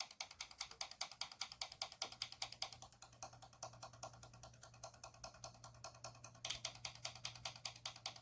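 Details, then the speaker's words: Junkyard ABS solenoid pack driven by homemade oscillator and flip-flop switch for brake bleeding on a 1996 Land Rover Discovery: single solenoid clicking crisply, evenly about two and a half per second; switching cleanly, working properly. "that's what you want to hear so test all your solenoids one by one"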